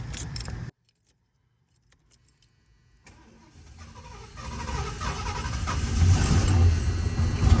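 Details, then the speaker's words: 1977 Lincoln Continental Mark V, after 3 years in storage, new battery: cranking that builds toward firing but never settles; fuel filter only just filling, fuel not yet reaching the carburetor. "As you can see here, fuel filter is finally starting to get fuel going through it. I think another start or two and it should continue running, but my biggest concern is I don't want to drain the battery, but we'll give it a couple more tries."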